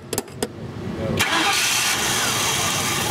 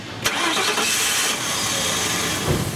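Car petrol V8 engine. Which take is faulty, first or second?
second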